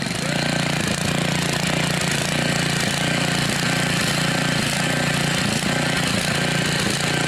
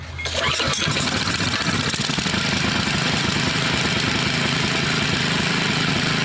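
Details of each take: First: Mastercraft rototiller, Briggs 5 hp OHV engine fitted with an unknown Amazon carburetor, governor adjusted, running about 3480 rpm. A fast, steady drone with a slightly unsettled beat; it appears to be leaking and it runs lean, needing partial choke. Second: Mastercraft (Lawn Chief) rototiller, old 5 hp Briggs OHV engine, after stuck-valve and surging-carb repair and fuel line leak check; started on full choke, not yet warmed up: starts on the pull and holds a steady, even run with no surging or hunting, healthy.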